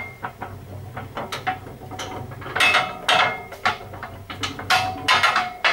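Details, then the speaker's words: Rolls-Royce RB211-22B front fan turning slowly on rundown or pushed by hand: loose metallic clanks and clatters, about two a second, as each blade's clapper bangs against the adjacent blade's. This is a normal rattle, and its absence would be worrying. "That's The Clapper there banging Against The Clapper of the adjacent blade so if I move that again in fact if we didn't have that noise we'd actually be quite worried"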